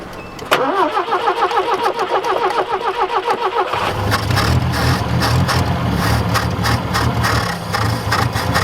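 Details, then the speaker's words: 1967 Toyota RT40 Corona first start after sitting, likely stale fuel and cold: starter grinds, engine catches unevenly and hunts roughly, needs feathered throttle to stay running; suspect fuel delivery, possibly out of fuel. "you've got to feather it to keep it running yeah the accelerator"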